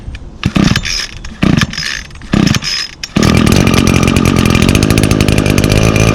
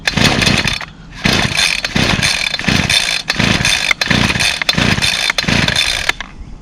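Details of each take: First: 2019 Echo SRM225 trimmer, two-stroke with i30 recoil starter, choked and primed five times: three or four recoil pulls, then it catches and holds a steady high buzz; starts easily and runs clean. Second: Two-stroke string trimmer whose primer won't prime, being pull-started: raspy engine catches in short revving bursts and cuts out, refiring every second or so, not staying lit; fires but won't keep running.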